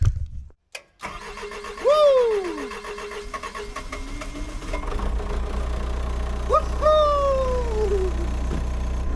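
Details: Excavator diesel after fixing a loose, melted battery cable terminal, with a fuel problem still outstanding: starter cranks briefly, then it catches and settles into a steady, even low idle; normal start.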